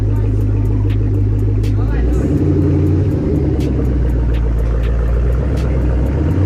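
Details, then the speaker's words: Cold start of a Chevrolet Camaro ZL1 being revived with an LSA engine from a burnt Cadillac CTS-V, after a transmission oil change and clutch bleed. Deep, steady V8 burble at an even idle, no knocks or misses. Smoke afterward guessed to be oil in the catalytic converters. "What do you think? Not as loud as a Hellcat, but it'll do."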